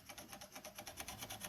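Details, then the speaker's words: Hand-filing a chainsaw chain with a depth gauge tool in place: file rasps with a steady click about eight times a second because the raker sits slightly above the gauge; a couple of light swipes fix it. "That clicking? That's because the raker is just slightly above that gauge."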